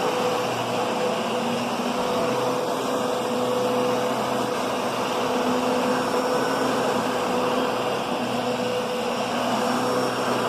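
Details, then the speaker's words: Kenmore Progressive upright vacuum with a new bag, set low: steady motor whir and mid-pitched hum, large brush roll making good contact, no rubbing or clatter; normal. "You can hear that brush roll. It's making contact. It's not like a Kirby brush roll where it's just kind of skimming the top, and you're either plowing it in too much or just not hitting it."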